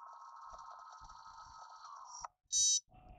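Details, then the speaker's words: Yuneec Typhoon H drone powered on a table without propellers, simulated error: steady high electronic tone then a loud shrill beep, the 5 motor error warning ("enter five rotor mode"); reset by holding start/stop button. "out going warning warning warning motor errors enter five rotor mode and it's freaking out"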